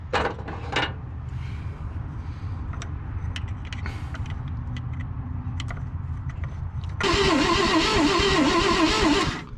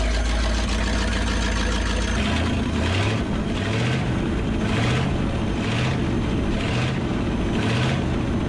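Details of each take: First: Abandoned 1963 Loadstar truck, jumped straight to the coil: starter churns evenly for several seconds without catching; points barely open, so no spark; the adjustment was probably turned the wrong way and the points need opening up more. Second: Abandoned 1963 Loadstar truck V8, after carburetor work: big rumble running on its own with a steady low beat and regular throttle surges about once a second; runs fine again.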